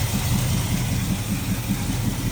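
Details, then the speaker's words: 1979 Camaro V8 idling right after new rocker arms replaced old ones that were hurting the motor: a steady, even low rumble with a smooth lope and no valvetrain ticking. Normal, healthy idle. "That sounds really good, especially in the back. I'd say that's a pretty good success so far."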